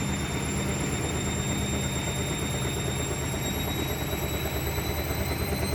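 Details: Hotpoint WMA46 washing machine on fast wash spin: fast spin with steady whir and rough irregular low knocking about three a second; knocking during spin, cause unknown.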